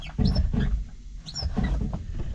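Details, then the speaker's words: Honda S2000: loud, repeated high-pitched squeaks each time the clutch pedal is pressed and released. The fix is sanding with 800-grit sandpaper and greasing with urea grease. "As you could hear in the videos, my clutch is super squeaky. And I'm going to show you how to fix it. Oh my gosh, that's so bad."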